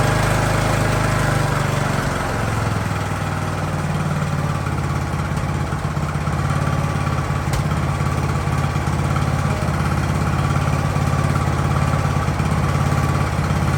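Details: Ariens hydrostatic-drive riding mower, sat at least two years, idling in neutral in a cramped shop at about 30 degrees: steady, even low thump that never stumbles, hunts or dies; normal idle.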